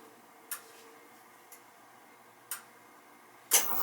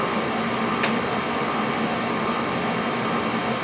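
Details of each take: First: Oil burner in a house with no heat, after transformer change with air left in pump and filter container: a few clicks, then burner lights to a steady roar with faint uneven hiss; air still being bled from fuel pump. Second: Oil burner on a no-heat call firing after the pump was bled of air: steady, even roar with no sputter or pulsing, burning cleanly on an air-free oil supply; normal burner operation.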